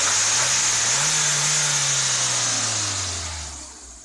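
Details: Ford Escort Zetec after repair for no idle, misfiring and stalling: revs up, then drops back smoothly to steady idle with no stumble or stall; running right.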